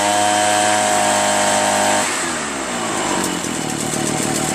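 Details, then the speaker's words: Echo PB-403T backpack leaf blower two-stroke, after carburetor cleaning and magneto reinstall, with the kill wire removed: steady high buzz, then a slightly rougher idle without dying; runs normally, and the kill wire or switch is suspected busted. "That was it. So the kill wire is busted."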